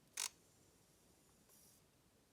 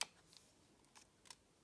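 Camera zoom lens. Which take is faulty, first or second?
second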